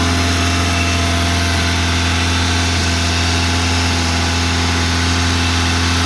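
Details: 1987 Honda Accord, 130k miles, cold start: fast idle won't kick off, staying around 2500-3000 rpm even at operating temperature; fast steady drone never dipping to normal idle; high idle.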